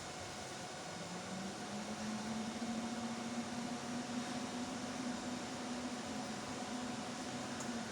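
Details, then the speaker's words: 6 kW 48 V rackmount hybrid inverter with LVD and ATS, no MPPT, pre-shipment test, just switched on without load after enabling the MCBs: low steady hum rising slightly, soft fan rush; normal running. "Oke, ini dia inverter sudah menyala."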